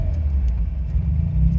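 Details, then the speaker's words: Autozam AZ-1/Suzuki Cara kei on a Keisport plug-and-play ECU; low even idle rumble with no hunting, settling after a throttle blip with slight hesitation; normal idle. "flip the throttle a little bit look look at that it's perfect again"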